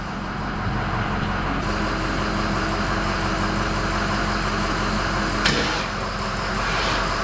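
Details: 1951 Chevy pickup V8 idling after new injectors (old ones likely all stuck open, flooding fuel) and new Denso O2 sensors, plugs cleaned, fresh gas: steady even idle, faint intake hiss, no misses or stumbles; running right now.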